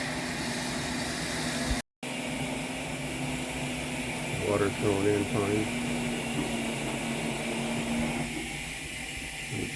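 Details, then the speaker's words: LG front-load washer WM4200HWA after replacing grinding drain pump with AHA75853803: steady hissing rush of water filling, no grinding or pump whine, faint drip; normal water fill. "coming in here turning normally water up through here you can hear yet"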